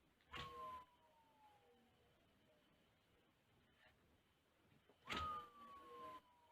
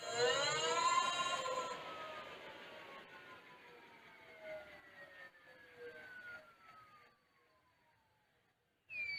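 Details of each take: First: Newly mounted 1000W 48V front hub motor wheel on Mk5 e-bike conversion, spun twice: whirring tone sliding steadily lower as it coasts; noise source unknown, owner wonders about poor balance and hopes it settles. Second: New 1000W 48V front hub motor on Mk5 frame e-bike conversion, wheel spinning free: clean whine gliding down in pitch as it coasts to a stop, no grinding or clicks; hub motor sounds normal.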